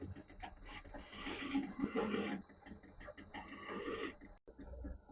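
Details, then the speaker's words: Small lathe taking a big cut with a form tool, turning an internal quarter-inch radius for a machinist's jack ball joint: rough, rasping chatter comes in bursts over a faint whine; tool possibly set slightly too high and rubbing, and lowering it improved the result. "It's quite a big cut really for my small lathe. So I'm going to have to go carefully You can hear a bit of chatter there."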